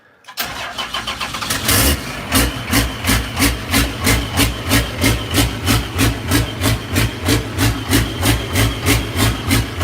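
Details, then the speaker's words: Unmuffled 12-valve diesel from a 1989 W350; it cranks, catches and lopes unevenly about three pulses a second at idle because of a leaking injector, found by spraying starting fluid around injectors. "so when you fire it up it kind of it'll open idle just because it's got that a injector issue right now but still working on that"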